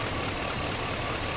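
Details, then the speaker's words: 2000–2006 Chevy/GMC truck with P0200 and P0303 codes: idle is still rough with a faint intermittent stumble. A broken fuel injector pigtail wire near the connector's blue tab causes the misfire; one side was repaired and the other side's wire is also breaking. "yeah still seems rough I wonder if it's that other wire now that I told you it felt funny there it is it's not there all the time"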